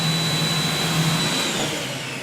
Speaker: And if you listen to the pump, you should hear it change. Did you hear that? So now, we're primed up, ready to go.